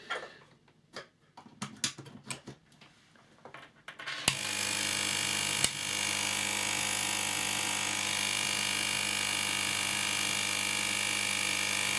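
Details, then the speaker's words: 852D+ SMD hot-air rework station after removing the transit screws under the air pump: steady, even buzzing drone with no knocks or rattles, still noisy but considerably quieter than with the screws in; pump running normally. "so it's still really noisy it's i say really it's considerably quieter than [Music] when it had the screws in"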